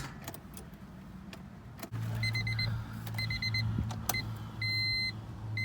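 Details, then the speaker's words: Honda Civic EK coupe, JDM B18C swap from an automatic, first start: high double beeps repeat over a low engine hum; warning chime with the key stuck in (no park position). "Alrighty. I hate this annoying ass beep. It's one of the most annoying things in the world."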